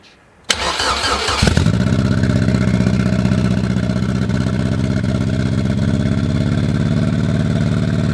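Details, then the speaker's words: Honda Civic with K20 engine, first running after settings changed to a 4-bar MAP sensor and original injectors refitted, still untuned and running weird: short crank catches quickly, settles to steady even idle with low firm rumble; no real issue found yet. "And this thing may not be running like $1 million, but if it can at least run, it can move itself under its own power"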